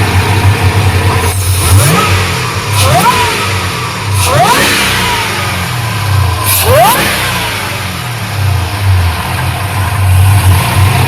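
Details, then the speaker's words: Square-body truck after a Motion Raceworks throttle body replaced the Holley Sniper EFI unit, idle air control setting unchanged. Quick sharp revs drop straight back to a steady idle without stumbling or stalling: normal rev and return to idle. "amazing part is how it catches itself so much better the old throttle body wouldn't have been able to do that"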